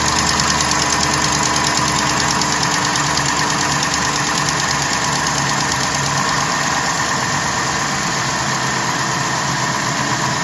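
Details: 2012 Jeep Grand Cherokee WK2 5.7 Hemi, cold start after sitting overnight: fast, light ticking about three per second over the V8 idle. Quietens within a minute, longer if driven straight away. Owner unsure whether it is a lifter, exhaust leak or noisy injector.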